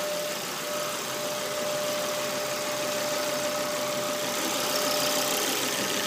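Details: Volvo V70 cold engine at idle: thin steady mid-pitched whine, persists after replacing oil trap and hose to oil cap, stops when dipstick is removed, absent when warm; cold engine whine, cause not confirmed.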